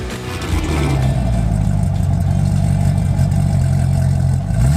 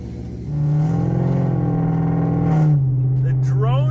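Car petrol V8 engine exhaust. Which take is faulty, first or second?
second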